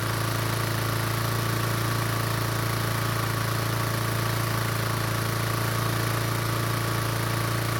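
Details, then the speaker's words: Toro commercial mower engine after fix (fuel shutoff valve found closed, choke flap repaired): steady, even single-cylinder beat at constant speed, no misses or surging; now starts and runs cleanly. "after fixing the choke flap it looks like the engine is starting just fine now and it turns out the fuel valve is also working as well now"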